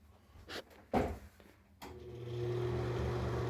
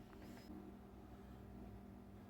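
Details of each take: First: Dirty NuTone ceiling bathroom exhaust fan: a few handling clicks, then it spins up to a loud, steady, droning hum, still loud after disassembly and before cleaning and greasing the fan. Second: NuTone bathroom exhaust fan that was incredibly loud with humming, after cleaning and greasing: only a faint, steady low hum with no rattle, grind or squeal, so it runs smooth and quiet.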